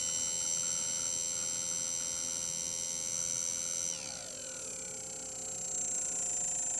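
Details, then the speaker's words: Faulty quadcopter motor 1 (CW), slow to start, not starting at 1032 microseconds and kicking in around 1042: a high whine dropping in pitch as throttle eases, with an obvious rough buzz and ticking underneath. "It kicked off finally. And the obvious buzzing, ticking in"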